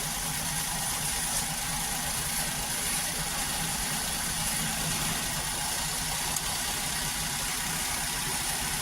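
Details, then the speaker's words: 2013 Maruti WagonR, K-series three-cylinder, after ignition coil replacement: an even, steady idle with no hunting or shake. It had been running on two cylinders with misfire, vibration and low mileage; all three cylinders now fire. "देख रहे होंगे बिल्कुल straight खड़ा है। कोई hunting नहीं है।"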